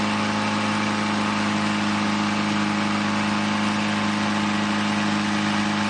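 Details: Newly rebuilt 2.1L Triumph TR4A four-cylinder on first run test, small radiator overheats: loud steady open-pipe drone around 3,000 rpm, even, no knocks or misses, little vibration; well balanced, normal engine revving.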